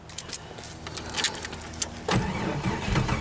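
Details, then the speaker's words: Cold morning start attempt with a weak battery: sluggish, uneven cranking with a few irregular turns and clatter, no catch. The battery is too weak to crank fast enough for spark. "H I don't think it's cranking over fast enough either"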